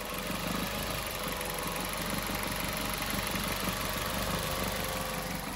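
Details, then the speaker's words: 2019 Maruti Suzuki Baleno petrol at idle: steady hum with a faint uneven chatter, noisier than a petrol engine should be; owner says it gets louder as rpm rises, and was told the exhaust is the cause. "मतलब petrol कर है तो silent Honey चाहिए लेकिन फिर भी ये silent नहीं आप एक बार गौर लगा के सुनिए"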